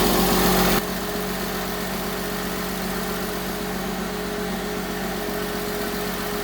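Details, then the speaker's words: 2005 Porsche 987 Boxster S, first start after a full M96 3.2L engine rebuild: steady idle with a thin, constant whine from the power steering pump, which is low on fluid. "Sounds really good aside from a whiny power steering pump, which it's doing that because it's low."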